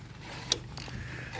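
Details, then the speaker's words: Engine in a scrap-built car, freed with hot diesel poured into the cylinders and turned slowly by hand with a ratchet. Two sharp isolated clicks come from valves that are still slightly seized and sticking. "And yes, you can hear the valves clicking because they're still slightly seized, but at the same time you can see the diesel going through the motions."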